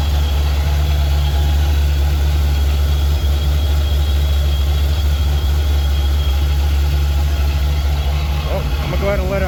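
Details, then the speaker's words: Supercharged engine idling just after replacing the self-adjusting belt tensioner with a manual one, to stop the belt walking off the water pump pulley near 7,000 rpm: steady low even idle, belt aligned, no chirp, squeal or slapping. "everything seems aligned it doesn't look weird or anything not wiggling not squeaking"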